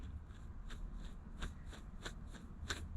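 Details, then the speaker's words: Honda K24-swapped Nissan 180SX drift car, gearbox removed: custom clutch throwout bearing turned by hand gives dry, gritty clicks about three a second with a rough crunch; bearing badly worn and needs replacing. "I don't know if you guys can hear that but it is fried to the brim it sounds horrible it feels horrible"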